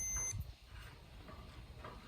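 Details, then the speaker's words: Multimeter continuity test on a brand-new fuel level sender for an '84 Bronco, which pegs the gauge once installed: a steady high-pitched beep holds with probes on terminal and ground; the new sender terminal is shorted to ground. "There it is. Stick one in here, stick one here. Nothing. Stick one here. Ground it out."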